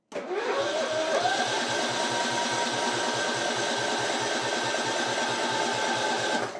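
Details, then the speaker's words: Simplicity Regent mower, 14hp Kohler Command single-cylinder engine, starting after fuel system refill: catches quickly with a short rising tone, then settles into an even, steady run; sounds great. "but it starts it runs it sounds great it really does"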